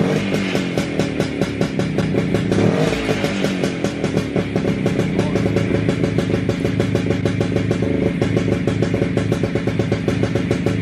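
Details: WSK 125 two-stroke motorcycle, first start after engine rebuild, engine back in frame: crisp regular popping at a steady fast idle, firing evenly without missing or stalling; owner surprised it held idle. Normal idle.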